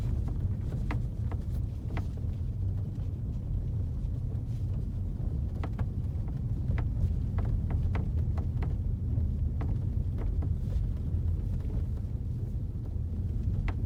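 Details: 2016 Ford Focus RS interior while driving: irregular sharp creaks and ticks over steady road rumble, suspected from the headlining, not confirmed.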